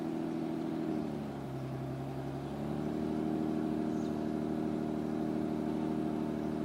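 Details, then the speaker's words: 1991 BMW 325i convertible, 2.7L stroker eta, Garrett GTX2867R turbo, Megasquirt, water-methanol, 5-speed, started cold: even, smooth slightly high idle with steady hum and brief dip; normal cold fast idle. "Still in, I just started it cold, so that's my fast idle you're hearing, but I'll flip it."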